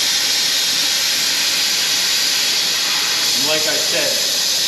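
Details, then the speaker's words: 2020 Toyota Camry, 2.5 L A25A four-cylinder, coolant service: loud, steady high-pitched air hiss throughout as the venturi filler pulls the cooling system into vacuum as it should, before coolant is drawn in. "now this is going to get a bit noisy so I do apologize in advance here but let's go"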